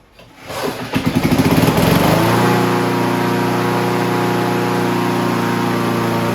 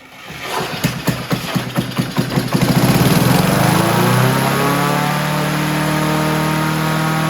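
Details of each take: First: Honda HR17 push mower, year unknown (owner guesses early-to-mid 80s), flathead Honda engine, blade clutch cable still a makeshift repair: a few starter pulls, it catches and settles into a steady even hum with no misses; normal running after revival. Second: Honda HR17 push mower, flathead engine, guessed early-to-mid 1980s, first start: fires with a few coughs then climbs straight to a high steady scream at wide open throttle; governor stuck, kill switch not working.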